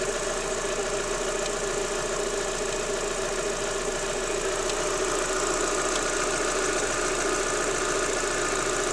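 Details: Daewoo Lanos 1.6 16V idling with a light, fairly regular knock about twice a second; noise stops when timing belt and rollers are wetted with water, and disappeared after replacing timing belt and rollers, though removed parts showed nothing suspicious.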